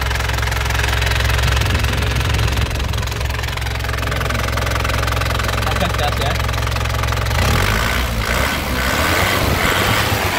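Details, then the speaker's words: 2008 Isuzu Panther LS Turbo diesel with a stock engine. It starts on the first crank and settles into a steady, even diesel clatter at idle with a firm low rumble, no misses or odd knocks. A healthy idle. "Oke kita Nyalakan Yuk kita Nyalakan mesinnya ya sekali cegreng ya langsung nyala mesin cegreng langsung nyala ya"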